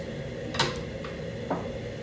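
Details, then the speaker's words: Squaring shear test-cycled via the foot pedal before use: two clean metallic clunks about a second apart as the blade moves up and down, no grinding, scraping or banging; operating normally. "i might not necessarily see that happening but i see it is moving up and down i can hear that it sounds normal"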